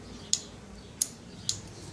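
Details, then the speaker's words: 1982 Yamaha XJ550 Maxim, troubleshooting no-start: three crisp clicks within two seconds as the starter relay pulls in; start circuit energising normally. "So hopefully I know what I'm talking about, and you'll hear that diode clicking, or that relay clicking"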